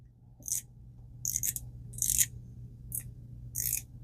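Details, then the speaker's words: Penn Sargus 1000 ultralight spinning reel, bought at auction, noise with either spool; sharp scraping ticks about every 0.75 s as it turns, two brass spool pieces striking a screw at bottom of stroke, stops with spool off. "You see how it doesn't make the sound once you take the spool off? Well, what's going on is these two little brass pieces in there, when they come down, wh"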